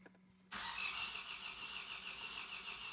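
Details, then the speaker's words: Vauxhall Astra after engine swap and new oil, first crank with injectors unplugged: steady starter churn with uneven beats about three a second, no firing; crank no start with injectors disconnected. "That's not good. Plug in the injectors and we should see it fire up."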